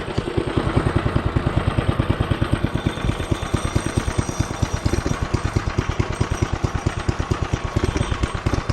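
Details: Coleman CT200U-A mini bike, first test start after a Hisun 196cc engine install with VM22 carb: fast, loud, choppy single-cylinder chuffing at about eight beats a second with uneven pulses; runs rough, oil checked good, cause unknown.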